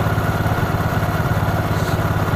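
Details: Honda Supra 125 carbureted single that wouldn't idle and died on throttle, after carburetor cleaning and refit, air screw set 5 turns out from seated: quick, even putt-putt at steady idle with no misses; normal idle.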